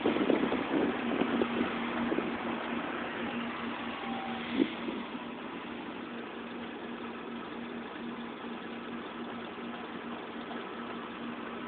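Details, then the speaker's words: 2007 Mini Cooper petrol engine idling roughly: hum fluctuates and wavers as if about to stall, owner doubts this is normal. "Okay, here it is again, making that weird fluctuating engine sound. See, there it goes, fluctuates."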